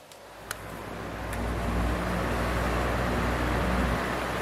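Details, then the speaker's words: Small fan running on a Giandel 1000W pure sine wave inverter at speeds one, two and three: soft, even whoosh with no electrical buzz or hum. The slight buzz heard on a modified sine wave inverter is gone. "buzzing now okay to number two still no buzzing and then number three as you see it's number three and there's still no buzzing and it's working absolutely perfectly"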